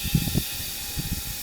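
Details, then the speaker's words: REDATS portable inflator compressor: short hissing puffs and spurts of air as the tank's relief valve blows off at about 8 bar. "i znowu ósemkę wytrzymuje i wywala ósemkę"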